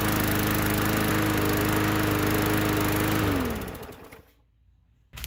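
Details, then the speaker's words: Bolens lawn mower after carburetor re-cleaning and adding the air filter, holding a steady, even pitch for three seconds without surging, then shut off and winding down smoothly; runs well, earlier trouble blamed on a poor first carb cleaning. "that sounds pretty good um i'm pretty sure it was just uh my crappy carb cleaning thing"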